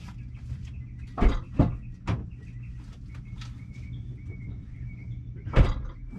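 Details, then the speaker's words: Toyota Tacoma with OME BP-51 suspension, driven with bolts left loose after silicone spray: low road rumble with sharp irregular cracks and creaks every second or so; still crackling, suspected bushing noise, unconfirmed. "I just took the daylights out of it, so now it's still crackling. So now I'm leaving it loose and I'm gonna drive it just to fuzz."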